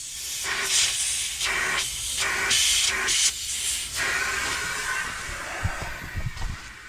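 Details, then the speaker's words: Paving-crew truck, loading up: loud steady hiss of escaping air, swelling and easing in bursts over quiet background; a blown air suspension airbag needing replacement. "I got a basically a blown airbag. So, I've got to get Oh, boy."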